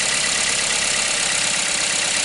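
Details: 2010–2011 Toyota Corolla with a high-mileage 1NZ engine, after a crank-no-start caused by water reaching the plugs during an engine bay wash: steady, even idle with a smooth hiss, no misses; now running cleanly.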